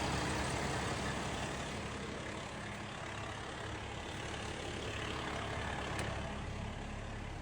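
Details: Diesel truck that the customer said died every 3 minutes; the cause was an idle shutdown timer set to 3 minutes, which was then adjusted. A deep, even rumble holds steady at idle without surging or dying. Healthy idle.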